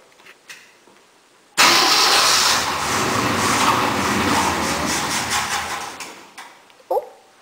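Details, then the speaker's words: 352 engine, for a 1965 Mercury truck, trying to draw fuel with its own fuel pump: catches, runs roughly about four seconds, then stalls; sounds fuel-starved, keeps stalling. "Try again. She keeps on stalling."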